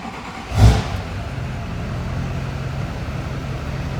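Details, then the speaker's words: LB7 Duramax after cutting down the lift pump return spring to limit CP3 supply pressure: quick burst then even, steady diesel idle, no loping or surging; idling normally after the fix. "the truck behind me is just sitting here an idle the way it's supposed to it doesn't seem to be limping anymore"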